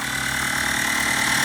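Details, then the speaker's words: 1929 Chrysler self-leveling air bag compressor, set on carpet and zip-tied to the battery cable, now quieter than before. A steady, even motor hum builds slightly with load, with no rattling against the mounting. It nearly finishes filling; normal running. "I mean you probably never hear it with a motor running it's almost done there it is"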